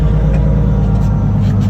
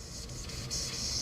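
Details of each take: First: 1JZ-swapped S14, after refitting the wastegate, up/screamer pipe disconnected, exhaust collector hot: steady, even low idle rumble with no puffing or ticking; no wastegate or exhaust leak found while chasing boost loss. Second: Nissan S14 with a 1JZ engine, boost leak test at 10 psi: a sharp, steady air hiss swells as the intake holds pressure, escaping from a leaking boost hose. It explains boost dropping from 22 to 16 psi.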